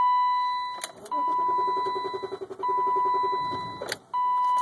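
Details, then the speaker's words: 1995 BMW 325i (E36) manual with a long-running hard-start fault, in neutral after 5-second fuel pump prime: steady starter churn under a loud warning chime, never catching; cranks but won't start, though it always starts by popping the clutch. "It almost started there. So close."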